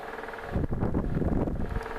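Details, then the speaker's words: Blue Lasko 12-inch desk fan humming on medium speed with dull, uneven knocking, present on all speeds even when not oscillating; taking it apart and oiling it did not stop the noise, cause unknown. "desk fan sorry I'm starting to make a weird knocking noise on all speeds even not oscillating I tried taking apart oiling it and it's not it's not stopping that noise"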